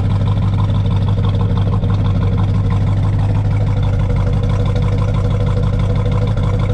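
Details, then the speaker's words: 1969 Chevelle SS V8, restored 23 years ago, factory exhaust, after cold start: deep loping rumble at steady idle, even pulses, no ticks, knocks or exhaust leaks; healthy warm-up. "But anyway, fire's right up. Let's see what the exhaust sounds like. Keep in mind, this is factory exhaust."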